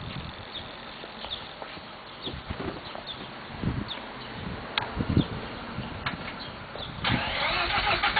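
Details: 1991 Mazda RX-7 (S5) NA street-port rotary with headers and possibly Racing Beat cat-back: lumpy idle with irregular sharp exhaust pops every second or so; afterburn at idle, owner doubts vacuum leak, cause not found.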